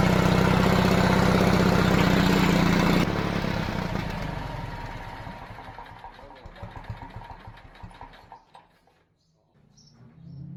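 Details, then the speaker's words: Pony motor on a 70-year-old 1950s barn-find D6 dozer, started after tapping, runs at a fast, even beat for about three seconds, then shuts down; fires and runs cleanly, normal running. "Bro, that was awesome. Well, I think she's gonna go. Yeah, she's gonna go."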